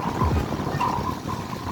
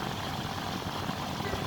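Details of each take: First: Home air conditioner outdoor unit whose fan spins slowly and heavily, making a dull rumble with repeated creaking squeaks, causing poor cooling, high amps and high electricity bills: worn condenser fan motor bearings. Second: Home air conditioner outdoor unit, fan previously turning slowly with cracking noises, causing high amps and poor cooling, after repair: even, steady airy whoosh with no cracking or ticking, outdoor fan now spinning fast and normally.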